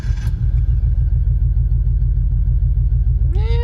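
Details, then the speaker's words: Subaru Forester, second startup on a re-sent tune map; low uneven idle with irregular shaking pulse that never settles, very jiggly; rough idle, tuner later suspects mass airflow. "much the same very jiggly"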